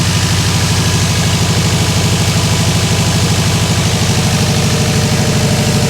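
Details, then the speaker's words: Freshly rebuilt Subaru WRX 2.5 turbo boxer just after first start: steady even idle with usual lopey boxer burble, no knocks or real misses; feels smooth, healthy. "Feels smooth, doesn't feel like it's missing at all. It's always hard for me to tell on Subarus because they always sound like they're missing."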